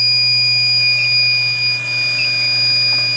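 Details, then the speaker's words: Ultrasonic leak detector on evaporator coil pressurized with R-410A at about 50 psi topped with nitrogen, set to high: piercing steady alarm tone over low hum, picking up leak at coil corner, to be confirmed with bubbles. "okay so we're definitely picking up something right there in that corner"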